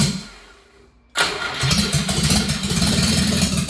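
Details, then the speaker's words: Subaru Sambar with the fuel pump unplugged, running the carburetor dry after raw fuel leaked from its back: lumpy, uneven, rich stumbling that improves as the fuel runs out, float suspected stuck; rough rich running. "so I really don't want to take this carburetor apart but it sounds to me like the the float isn't working it sounds like it just keeps pumping fuel in"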